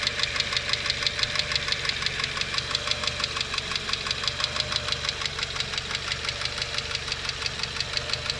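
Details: Renault Logan K4M engine at idle: light, sharp ticking about three times a second rides steadily over the engine; noisy hydraulic lifters, to be treated with an oil additive.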